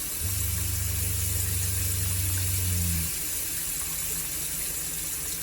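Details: Shurflo RV water pump, running off battery with a partly open faucet: a steady low pump hum runs about three seconds, then shuts off cleanly, a smooth short cycle with water flowing. Normal pump cycling.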